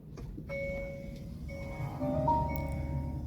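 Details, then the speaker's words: Electric vehicle at startup: clear electronic warning chimes over a quiet cabin with a "check EV system" message. Code P0AA600 shows high-voltage insulation breakdown; insulation resistance at the HV input, A/C compressor and PTC heater read 22–39 kΩ. "전기차 시스템을 점검하십시오. 경고등과 경고음이 출력되고 있어요."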